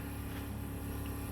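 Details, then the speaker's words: 1963 Mack gasoline truck, first start after sitting 4 years; fuel line unhooked from pump because bad gas is the suspected no-start cause. Battery switch and ignition on: steady low electric hum of the fuel pump running, no crackling or smoke. "Now the ignition. Fuel pump kicks on. Don't hear any crackling or smell any smoke."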